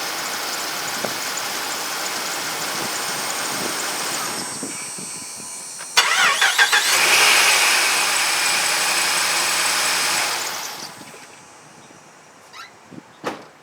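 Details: 2008 Dodge Ram 2500 5.7 two-wheel drive, restart after starter replacement: short brisk crank, catches promptly and settles into a steady idle; starter and engine sound healthy, normal start.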